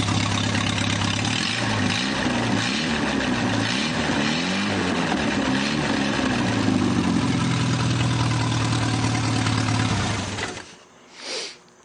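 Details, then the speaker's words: Newly rebuilt 2.1L TR4A, first run test, warm, straight pipe with no muffler, minor pushrod-tube oil leaks: loud raspy but even idle about 1,000 rpm, oil pressure about 55, no miss or knock; normal idle. "It doesn't have a muffler on it, as you can tell. It's just a straight pipe"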